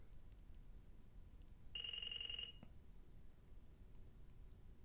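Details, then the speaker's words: Apple IIe built-in diagnostics self-test fails with a single shrill beep then a click because the keyboard is not plugged in; error is not displayed on screen. "oh it does produce an actual error but you don't see it it just complains that it's not okay something's not right and the in this case the problem is the keyboard's not plugged in"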